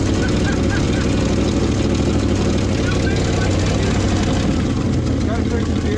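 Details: Old hybrid Ford F350 bumpside V8 that sat since the late 90s/early 2000s, cold weather, temporary jerry-can fuel feed: steady, even, deep idle with no knocks or misses; normal idle.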